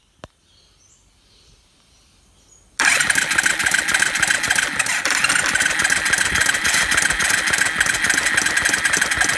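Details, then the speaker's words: Suzuki Quad Runner 250 single-cylinder ATV under restoration, first spin on its starter motor with a little oil put down the bore: quiet, then busy whirring chatter about three beats a second as the starter turns the engine over without firing. "I want to just turn it over with the starter motor briefly with without a whole lot more oil in it"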